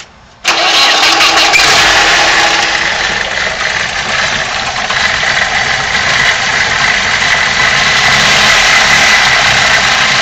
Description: New Bosch 0280155710 injectors on a 150K mile BMW M42. Rough idle.